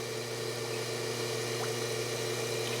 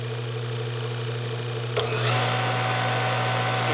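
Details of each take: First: Hydro-Spa Princess hot tub with Hydro-Quip CS800-A1 115 V air-button controller, reassembled after repair, heater on: steady even pump motor hum with soft water churn, no surging or cutting out; normal running. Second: Hydro-Spa Princess hot tub pump on Hydro-Quip CS800-A1 115 V pack, motor very tight to turn: steady hum jumps to a louder, rougher whir at high speed (about 12 A); worn motor bearing, probably damaged by a nearby leak.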